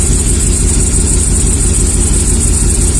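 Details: 2003 Chevy Silverado 1500 HD 5.3 V8 at idle during an injector flush at about 45 psi: regular stumble roughly every 1.5 s; misfiring on cylinder 4 (and 3 less so), injector 4 flows less fuel.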